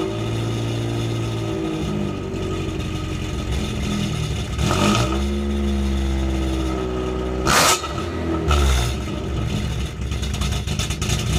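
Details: Car with a newly installed eBay full straight-pipe exhaust, cold start heard from the rear: loud buzzy idle with a raspy edge that flares harshly on each rev. Owner thinks the timing is bad.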